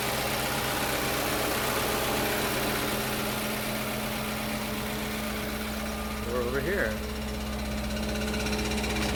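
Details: 2005 Audi B6 4.2L V8, 180,000 miles, cold start: light, fast metallic rattle at idle, seeming to come from the transmission area; failing starter return spring left the pinion engaged, hitting the flywheel; revving throws it back and silences it.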